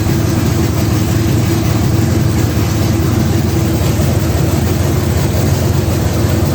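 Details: 1980 Trans Am V8 with new Tick Performance nitrous cam and ported intake, run briefly without coolant: deep, loud loping idle with an uneven chop about three to four beats a second; healthy, sounding better than before.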